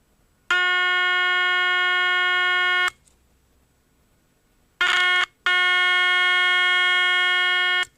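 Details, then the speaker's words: EverReady N3 radio, 400 Hz test signal fed into the amplification stage: clean steady tone switching on and off with no hum, crackle or distortion; amplifier satisfactory, fault likely in the high-frequency section. "and the amplification of the radio is really satisfactory satisfactory"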